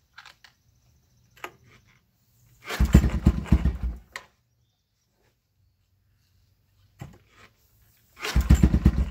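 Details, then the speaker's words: Yamaha Wolverine quad after carb cleaning, new plug and battery: revs in short bursts that chop off like a rev limiter, bogging; a faulty handlebar switch was found and unplugged, after which it ran well. "hey sounds like it's bouncing off like the rev limiter won't let it wrap up we know the carburetor is perfectly clean so we're going to eliminate one of these switches up here"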